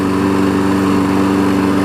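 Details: 5hp Briggs engine on a 2014 Weed Eater push mower deck. A steady, even single-cylinder hum with no misses or knocks, running smooth and healthy.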